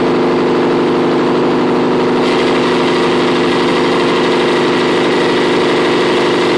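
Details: CP-D03.2 compressor: steady hum, then about two seconds in a harsher hiss-like rush joins and stays; abnormal sound comes at irregular intervals and for varying durations, with no change in vibration. Source not yet found.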